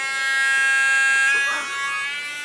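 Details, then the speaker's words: 2019 Acer Predator Helios 300 PH315 laptop: high buzzing whine with rough edge wavering as fan speed shifts, with a burning smell; failing fan bearing, fan later replaced. "there's a bit of a burning smell it's bad it's really bad"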